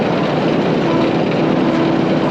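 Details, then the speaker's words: Century-old Caterpillar tractor driving in its fastest high-speed gear after a new part was fitted to cure rattling. An even, unbroken engine drone with no knocks or misses, winding down slowly: the old engine is running healthy. "kind of sounds like we shut it off already but we did not she's still coming down"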